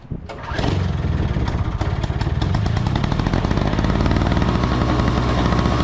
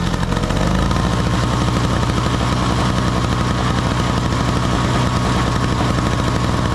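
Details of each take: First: Two-stroke snow blower on 50:1 mix with fresh fuel catches after a cough and runs lumpy on starting fluid, then dies. Spark and ignition are fine, so fuel starvation. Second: Small two-stroke snow blower (50:1 mix), choke on, after cleaning the clogged jet at the carburetor bottom that had stopped fuel flow (it ran only on starting fluid before): steady, even buzzy drone, engine running smoothly.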